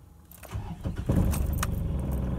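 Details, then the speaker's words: Diesel vehicle, cold morning start after replacing slow-heating glow plugs: cranks briefly, catches quickly and settles into a steady, even low idle without stumbling; normal cold start. "and we start up nice and smooth"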